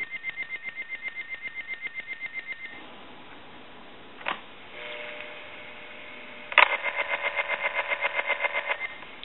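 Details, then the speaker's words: Harris TS22 lineman's buttset on a line with amplification off: the piezo buzzer rings in bursts of a high, rapid pulsing buzz of about twelve pulses a second, clean and even each time; it rings properly with the amp on or off. "if you have the amplification on piso buzzer will always ring with the the amp with the amp on or with it off"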